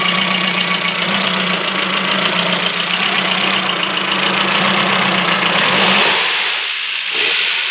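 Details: Ford Focus MK1 RS after a frosty cold start and a drive around the block: an uneven idle with a hissy top end and an irregular stumble, with unburned petrol smelled; the owner suspects a spark plug not seated properly; misfire at idle.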